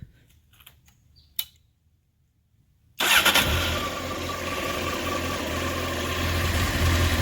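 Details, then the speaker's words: 1993 Honda CBR900RR California spec four, restored with new header gaskets, cleaned carbs and fresh fuel, after sitting: quick catch into a steady, even idle around 1,100 rpm with no stumbles, clutch noise or smoke. "started right up smooth idle regular tv 1100 no clutch noise perfect no smoke"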